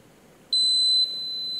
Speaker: you see there now that it's just gone into alarm so we can hear the buzzing and if we hit enter or exit it's telling you say that the beater revs per second is also fatal